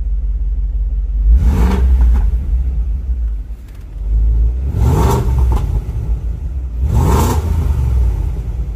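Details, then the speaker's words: BMW E53 X5 4.6is Dinan S1 with M62TU V8, warming up just after the timing chain tensioner was replaced and torqued to about 50 ft-lb: three hard revs with a deep, rowdy bark; loud aggressive note not present before, cause unknown. "so yeah so for some reason this thing sounds real different and very aggressive"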